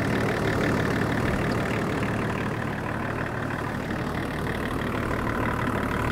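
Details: 24-year-old Range Rover P38 diesel, abandoned five years, jump-started and idling to warm up to thermostat temperature while bleeding air from the coolant system: steady, even diesel idle with smooth low rumble, no knocks or misses; healthy and settled.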